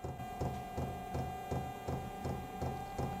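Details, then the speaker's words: Vevor 5 kW diesel heater just started; steady even clicks nearly three a second over a low hum from the fuel dosing pump; normal fuel pump clicking. "so you'll hear this clicking noise that is the fuel pump working uh it's not too bad and honestly if you're inside of a tent this is outside that's not going to be very loud"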